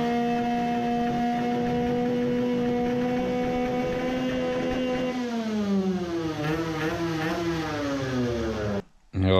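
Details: Two-stroke 50cc racing moped, race carburetor with main jet reduced to 110: steady drone goes ragged and burbles at full throttle; still some lean problem and fuel puddling, cause unconfirmed.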